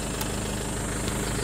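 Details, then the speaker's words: Isuzu Crosswind diesel that would not start, running after a battery check: dense, even clatter holding steady at idle with no stumbling; the engine runs normally. "OP yun napaandar na natin Natanggal na rin natin yung problema niya sa pinto laging nak ilaw yan oh ngayon okay na namamatay"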